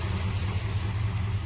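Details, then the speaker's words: 2006 Pontiac Grand Prix GXP (LS4) idling before harmonic balancer replacement: steady, even low hum with no knocks, misses or rattles. The crank balancer is visibly blown apart, a new power steering pump is fitted, and the engine sounds normal. "sounds good though new power steering pump right there"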